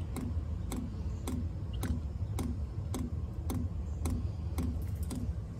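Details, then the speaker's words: Chinese diesel cab heater in a skoolie bus, at startup, heard from below: crisp even ticks about every half second over a low hum, the dosing fuel pump feeding fuel normally; it speeds up as it calls for heat. "let's go down and listen to that there's the fuel pump pumping and as it starts calling for heat that'll go faster"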